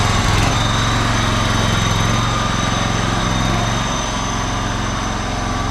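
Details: John Deere LX186 riding mower, 17 hp Kawasaki engine, restarted with the air cleaner refitted; the fuel shutoff solenoid still drips slightly. Runs steady at a fast, even beat with slight easing off. Normal running.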